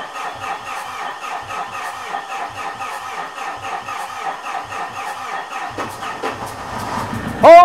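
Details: 4P10 diesel after re-cutting the number 2 injector seat and bleeding a suspected air lock in the CP4 pump: steady cranking about four beats a second, then it fires; the no-start was traced to loose fuel clamps.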